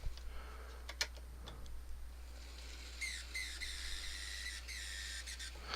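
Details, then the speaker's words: Atlas/Kato RS-11 N-scale locomotive: quiet running broken by a high, shrill chirp lasting a couple of seconds; intermittent motor squeal, worse in reverse; a bent axle is suspected. "Normally this one, the motor just sits there and squeals and makes all sorts of noise. It's behaving itself today. Huh. Oh, there it goes. You hear that chirp?"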